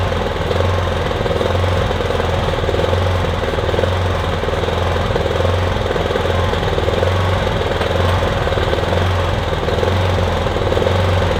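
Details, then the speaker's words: Kipor Sinemaster IG2600 digital inverter generator, just over 2 kW, stored in a garage for years, running on choke after spray was put in; buzzy drone with an uneven, lumpy, hunting pulse; rough running, owner hopes it smooths out as it warms. "It's not exactly smooth, is it? But it's running at least. might smooth out as it runs."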